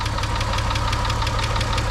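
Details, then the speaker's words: VW Beetle VR6, warm idle before an engine flush: a quick, light, even tick follows engine speed over a low hum from the top end. Owner suspects a hydraulic lifter; not confirmed. "kind of mysterious ticking noise going on it's driving me crazy I'm really hoping it's nothing serious I'm thinking it's like a lifter"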